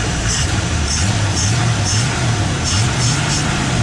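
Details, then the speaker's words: 1958 Chevy Biscayne revived after years of neglect, running with an inch-and-three-quarter exhaust: settled, even low idle with steady burble, no stumbles or knocks; idling healthy. "i think this is all it needs really is just run i can't i can't light it up anymore good again that sounds kind of cool with the inch with the inch diameter exhaust"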